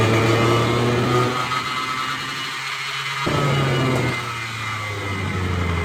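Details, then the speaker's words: Rebuilt hardwood floor edge sander, reassembled with brushes, bench-tested hotwired: steady motor drone with rough whirring gear note; filed, less uniform spur gear louder, but runs much smoother than before, when it groaned with loose bearings. "It's a little louder than I would like. Uh, but it runs a whole lot smoother."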